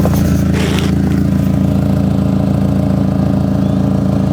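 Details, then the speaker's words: Audi TT after new exhaust fitting with sleeve, revving: steady engine drone with fast puffing tick about two per second; exhaust leak blowing from underneath, first thought middle, then traced to the front, possibly near the downpipes. "yeah it's definitely blowing it's definitely blowing from underneath you can hear it it's quetting down now yeah it's blowing in the middle"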